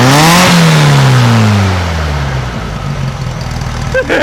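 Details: 1956 VW Beetle flat-four with brand new Solex carburetor, after valve readjustment to 0.006in: crisp throttle blip, revs falling smoothly to steady even idle, no misses or knocks; normal revving.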